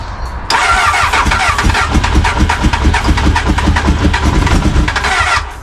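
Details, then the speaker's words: Crashed Honda Hornet motorcycle, after reconnecting a missing wire: steady fast starter cranking with a few stronger puffs as if almost firing, but it never catches; cranks but won't start. "oh this sounds like just going to fire let's get some spark into that come on come on go"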